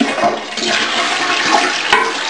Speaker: All the toilets work, they all flushed.